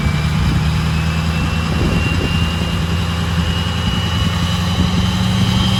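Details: 6.0 Powerstroke King Ranch with new KC Stage 2 10-blade VGT turbo, idling through vane relearn: deep steady idle with thin whistle slowly shifting in pitch as vanes move; healthy turbo, normal.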